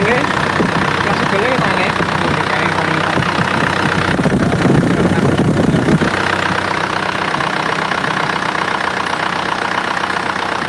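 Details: Freshly rebuilt Isuzu Panther diesel (rebuilt for white smoke, not yet run in): steady idle clatter with an even beat and no heavy knock or stumble; sounds healthy.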